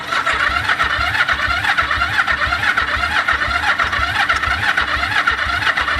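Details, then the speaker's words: 1974 Yamaha TX500 twin after 20+ years stored: rhythmic starter churning at about two pulses a second with occasional uneven puffs, not yet catching. It has spark and ran shortly after. "It does have a choke. Come on. It's trying. It's starting to pull fuel. It's trying."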